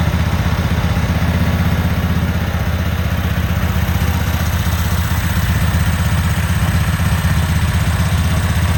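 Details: Cub Cadet Super 2284 garden tractor with electrical issues, test-fired with the rear cover off and some bolts missing: strong, even low throb with a steady rapid beat and no misses or knocks; the engine sounds healthy.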